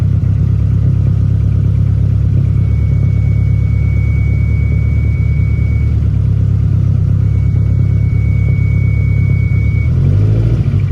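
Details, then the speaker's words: Freshly built 1000hp turbo engine on first startup, with new FIC 2150 injectors, ethanol-blend fuel and the front O2 sensor unplugged: deep, loping idle that rises and sags about every half second. Unstable, hunting idle, cause not yet known. "Those neighbors are probably like, what in tarnation is going on right now? Sounds like a Honda with a bad idle control motor."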